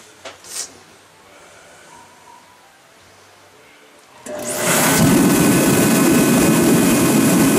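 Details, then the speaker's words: Ready Heater 170T torpedo heater, which had been running then cutting off with smoke: loud, steady, hissing burner roar with the gauge reading almost 8 PSI fuel pump pressure, above the 6 PSI setting; too high. "almost 8 PS side that's almost eight we need to be down here on six okay"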